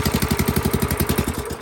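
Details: Small engine started on fuel and choke: crisp even firing pulses at about eleven per second, steady and clean throughout; healthy, smooth running.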